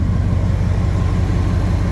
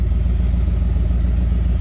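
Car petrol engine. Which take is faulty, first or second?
second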